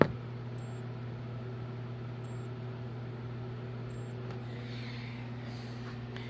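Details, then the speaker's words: Sanyo FW55D25F TV with no power: faint high chirp repeating about every 1.6 seconds over low hum as the power supply raises voltage, shorts to ground and loops, hiccuping against a shorted mainboard load. "usually these beeps come from a shirt the voltage you try to raise then shorter to the ground go down and keep looping like that"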